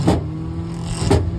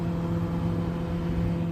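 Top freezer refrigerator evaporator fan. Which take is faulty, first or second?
first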